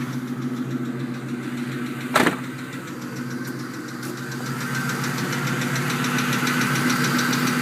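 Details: 2001 Ford Mustang GT V8: light rapid tick at warm idle, about three per second, loudest underneath by the manifold; owner suspects driver side head, source unconfirmed.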